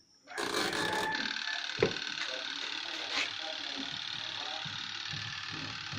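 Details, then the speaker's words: Twin-tub washing machine spin dryer after timer repair, loaded with clothes; steady whirring hum with light vibration as the drum spins up and holds speed, spinner and timer working normally. "Nah, teman-teman bisa dengar bunyinya. Nah, ini sudah berfungsi. Alhamdulillah, timernya juga sudah berfungsi."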